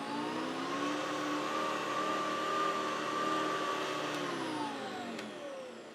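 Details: Vintage Hoover Decade 80 (Hoover Convertible) upright vacuum after repair: smooth steady motor whine with clean fan hum, pitch sliding down as it spins off; sounds good, not the best, likely to improve with use; normal running.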